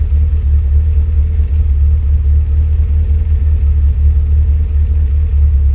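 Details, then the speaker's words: 1987 Toyota Corolla Levin SR5 AE86, 16v large-port 4AG, HKS 272 cams, Megasquirt DIYPNP sequential injection and ignition, no idle control valve: deep, even low rumble with no misses; normal idle. "has a a chance 272 cam sounds nice though"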